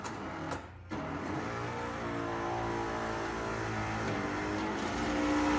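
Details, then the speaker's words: 1964-66 Ford Thunderbird convertible top after upper back panel limit switch adjustment: even electric motor whirr running smoothly without binding, clunks or strain; a perfect fluid movement with the flap not forced straight, normal operation. "See, that was a perfect fluid movement."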